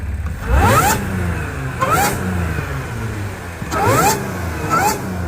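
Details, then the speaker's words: C7 Audi A6 3.0T after installing an 034Motorsport 207mm crank pulley, stock airbox, engine cover off: four quick throttle blips, each bringing a clean supercharger whistle rising and falling with revs; normal, louder supercharger whine. "could definitely hear the supercharger a lot more okay here supercharger a lot more I got it still in the stock air box and I don't have the little cover on right here so you can hear it a lot more"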